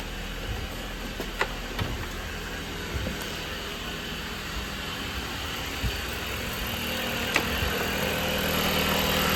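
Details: 2019 Dodge Journey after alternator and serpentine belt replacement (pulley had come off while driving): steady, even petrol idle, a few faint clicks, slight rise near end, no belt chirp; charging at 14 volts; normal idle.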